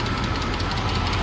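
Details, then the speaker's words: BMW E60, about 10 years old, idling during fuel pump work with the charcoal canister solenoid disconnected: a fine, fast ticking over the low engine hum, attributed to worn hydraulic lifters at the top end. "Here will be the lifters, but after 10 years, what are you expecting?"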